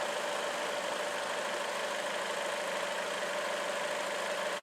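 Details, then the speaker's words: 2004 Chevrolet Classic, GM L61 Ecotec engine overhauled at 250,000 miles, after repairing a knocking sound; steady, even idle with a constant hum and no knocking or ticking; normal idle. "I have good news I fixed it it works perfectly it's a few days later and I've been driving it everywhere and I've had no problems with it at all"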